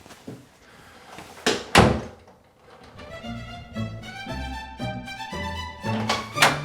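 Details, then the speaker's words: House door after bending the strike plate latch tab to about 30 degrees to fix a rattle: a couple of solid, clean thunks with no rattle after them, music playing over the top. "There we go, the problem is fixed. The door is not rattling whatsoever."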